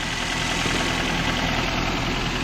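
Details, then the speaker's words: 2014 Nissan Rogue right after VVT oil control solenoid replacement, which cured skipping and misfire-like running; first start was odd, now an even, steady idle with no stumbling and no oil leaking at the new solenoid O-rings. "it sounds good now i don't see any oil pulling out of pullering out anything"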